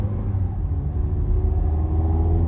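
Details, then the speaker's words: 2012 Mazda 3 2.0L Skyactiv after installing an HPS short ram air intake, ECU still relearning via the mass airflow sensor: deep, smooth low rumble swelling as the car pulls under load, no knocks or whine; normal engine rumble under load. "you can hear that change. You hear that rumble? You like that? Under load, it sounds so much better."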